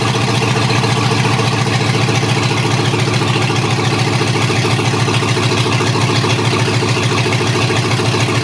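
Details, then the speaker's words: Chevy 6.0L LS V8 from a 2003 2500HD truck, out of vehicle on a stand-alone harness, first start, no cooling system: loud, even open-exhaust rumble with steady firing pulses, no knocks or misses; runs and throttle works. Normal idle. "So uh it runs and the throttle works after it starts. So I'm a happy boy."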